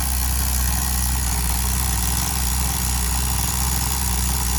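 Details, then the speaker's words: Tamiya TGS-R nitro RC car engine on its second run-in tank near factory carb settings: steady high buzzing idle sagging slightly in pitch over a few seconds; owner suspects break-in. "You hear the idle dropping, so it's probably breaking in a little bit or something now."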